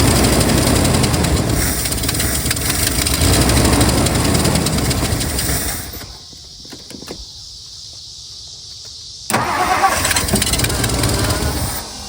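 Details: 1964 Mercury Marauder Montclair 390 V8 with 2-barrel carb, sitting since 1987, now getting fuel: it catches, runs rough a few seconds, nearly dies, then fires again. A leaking hose fitting then sprayed fuel onto the coil wire and started an engine fire.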